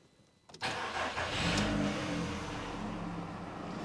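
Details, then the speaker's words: 2009 VW Beetle 1.4 petrol started after an oil and oil filter change, not revved: it catches within a second and settles into a smooth, even tick-over with no knocks or misses; healthy idle. "it sounds good just let it tick over for a few moments that should do"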